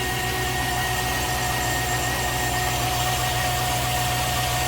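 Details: Chevy Tahoe, 161,600 miles, towed in for a no-start, idling after fuel pump replacement and fuel line repair. Smooth, even idle at a constant speed with no stumble or misses; fuel pressure reads 55, judged perfect.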